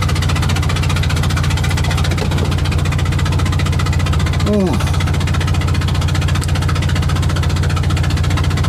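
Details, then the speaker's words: Invacar twin on the road after it spat out a spark plug: lumpy, loping beat of about 220 per minute over a deep engine drone. Running on one cylinder. "I'm just gonna have to see if I can limp back on one cylinder at least to the top of the next hill and then maybe I can coast into town"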